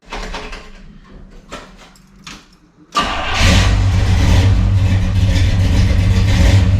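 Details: 1963 Chevrolet Bel Air V8 with 4-speed, on jack stands after new flywheel, clutch, clutch fork and rod to cure clutch chatter: a few clicks, then catches and settles into a steady, deep idle, no chatter or crunching.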